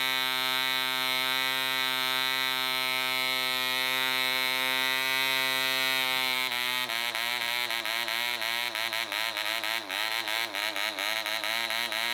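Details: DC Spitfire 1cc model diesel on an 8x4 prop, D2000 fuel: high buzzing note holds steady, then about halfway wavers and stumbles as the loose needle valve rotates with vibration and the compression screw winds itself out.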